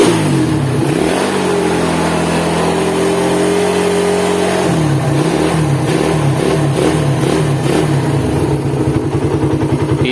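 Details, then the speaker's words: Cold Suzuki Satria FU motorcycle engine revs and settles to a harsh, gravelly idle with a rough mechanical rattle; teardown confirmed worn crankshaft bearings with side-to-side and vertical play. "masuk lagi satriaavu dari Jawa Tengah Rembang dengan keluaran mesin kasar ya kasarnya ini seperti di bearing kruk as sama rumah kopling"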